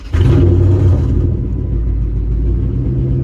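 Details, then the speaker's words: 2005 Chrysler 300C right after fuel pump and sending unit replacement, primed three times then started: deep uneven rumble with irregular beat; owner thinks it is in limp mode from unplugging the fuel relay while running. "Sounds like I'm in limp mode right now, honestly. But, uh it should get better."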